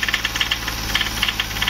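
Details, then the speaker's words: VW Polo 1.2 with engine rebuilt elsewhere using aftermarket piston and gasket, timing and original injectors corrected: sharp metallic ticking clusters over steady drone, following engine speed; problem suspected in head or piston top, unconfirmed; engine knock. "तो friends इसके head में या piston के जो ठोकर में होता है उसमें दिक्कत है क्योंकि टॉप हमारा केक ले रहा है इसके करण एक लेटर तो शो कर आवाज कर रहा है"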